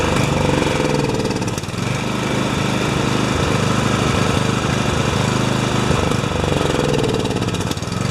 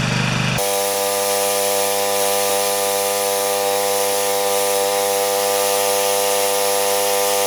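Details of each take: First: Husqvarna snowblower, 14.5 HP Briggs & Stratton overhead-valve engine, cold, choke on, not in gear: single cylinder chugging unevenly with surging, lumpy firing; runs only on choke, cause not yet known. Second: Husqvarna snowblower, 14.5 HP Briggs & Stratton OHV engine that reportedly only runs on choke, electric-started: catches immediately and settles into a steady, even drone at part throttle with no misses.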